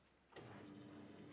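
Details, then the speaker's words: Project car with the key switched on and the engine off: after the key click, a faint steady hum holds for about a second as the fuel pump primes normally. "the car on you hear the fuel pump Prime"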